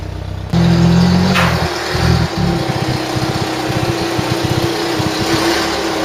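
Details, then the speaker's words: Ford Mk3 Cortina, sat in a field since 1983, just started after charging up, filing the points and pumping the accelerator to get petrol through; catches and settles into a steady, even run with no knocks or misses; healthy. "the car does not want to die and tell you that much listen to this for a motor"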